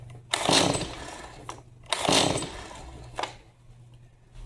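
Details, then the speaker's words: Stihl MS 180C chainsaw brought in as won't-start, fueled, choke and throttle locked: two rasping recoil pulls, engine never catches; cranks but won't fire, suspected spark issue or dirty spark plug. "right, nothing fully choked, so I'm going to assume it's uh probably a spark issue, dirty spark plug."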